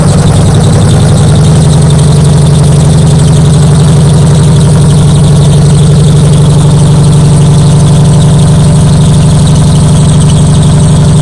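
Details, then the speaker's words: Nissan 300ZX Z32, sat for years, just revived with starting fluid: loud, steady low engine drone with even beat and a faint high squeal on top, holding idle; still running on old stale gas. "well it stayed running but i didn't spray quite a bit of starting food in there like it was starting to build too yeah like the rpm was starting to go up oh there you go it runs it runs and now the neighbors probably hate me"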